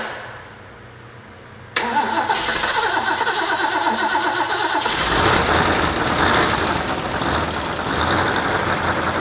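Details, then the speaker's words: Rebuilt Ford 351 Cleveland V8 from 1972 De Tomaso Pantera, warmed up after first start: cranks, catches and runs with a sharp puffing tick from exhaust side; cheap header gaskets supplied with engine are leaking. "all right well we got the engine running got it warmed up real good and if you could hear it you could hear the headers leaking and I purposly used the cheap header gaskets that came in the engine"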